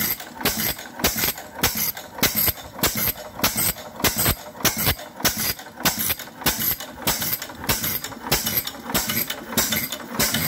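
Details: Fairbanks Morse 6hp Model Z stationary engine, started with the fuel valve at an eighth turn and the cylinder oiler dripping. Sharp, regular firing pops, about a hundred a minute, steady rhythm, no misses; normal running.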